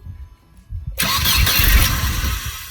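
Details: 2001 Mercedes SLK 170 Kompressor with start error P202C-8, no crank no start: starter relay circuit bridged by grounding pink/red wire, starter engages with steady busy whirring crank; starter motor and relay work.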